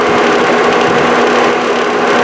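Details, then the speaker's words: 1998 GMT400 Suburban with 2008 GMT800 electric radiator fans after repair, both fans running with steady whir and fine fast ticking rattle; one fan lightly hitting something as it spins. "This one, it's hitting something ever so slightly. You can hear that little rattle type sound, but they're running."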